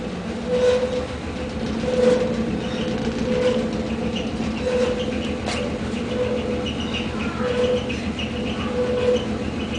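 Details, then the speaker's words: Gas furnace with heat on: steady low hum, rough rumble and grinding, plus chirping recurring about every 1.4 seconds, also heard through upstairs vents; new sounds, owner fears something big is loose inside. "and you can hear it upstairs too through the vents and it just sounds strange there's this chirping noise and and that uh now there's the grinding noise that there was just the chirping noise before"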